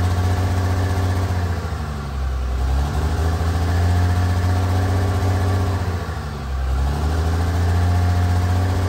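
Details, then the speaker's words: Freshly installed 1500hp Cummins diesel, run without coolant, cam break-in during hot re-torque: deep even drone at raised idle with gentle dips, no knocks or misses. Normal high idle. "so our whole goal here guys is to break in the cam you want to do like a thousand to two thousand sweeping for about 10 minutes"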